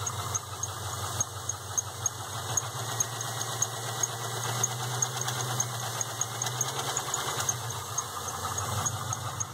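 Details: 1998 Pontiac Trans Am V8 at idle with a steady, sharp knock of about three beats a second over the engine rumble; the knocking began recently.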